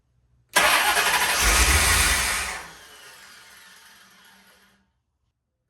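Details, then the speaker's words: C4 Corvette after full reassembly; harsh, loud cranking for about two seconds that fades without firing; won't start, terrible noises, cause not yet known. "But now I just finished putting the C4 all back together and it won't start. Actually, it's making some pretty terrible noises."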